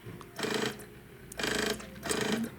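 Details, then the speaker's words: 3DO disc drive that stopped reading CDs after about 5 years sitting; the owner suspects dry rails and possibly a bad motor. Loud rough grinding bursts about every 0.7 seconds with a thin whir as the laser seeks, from a cracked sled gear. "Now this is just for the audio. I just want to I want you to listen because it sounds horrible."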